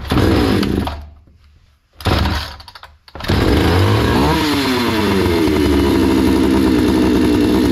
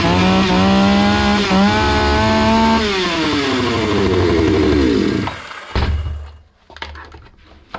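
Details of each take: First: Hyundai 650 two-stroke chainsaw before repair: fires and dies twice within seconds, then catches and revs unevenly; keeps stalling after start, fuel supply seems insufficient, lean running; no settings were tampered with, filter found unclogged. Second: Hyundai 650 two-stroke chainsaw after repair (fuel adjustment opened slightly after it was starving and stalling): crisp buzz revs up and falls back cleanly for about five seconds, then shuts off — normal running.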